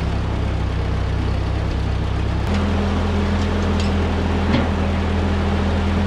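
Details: 1946 Ford 2N tractor, flathead four, after head gasket replacement and fresh oil: low, steady idle with even beat, no knocking or misses. Normal idle.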